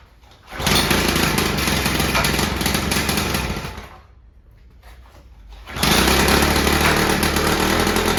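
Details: Victa Tilt-A-Cut lawn edge trimmer, two-stroke, bought at a garage sale: after a reconnected fuel line, priming and a few pulls it catches and buzzes at steady high revs, sags briefly, then runs evenly; healthy.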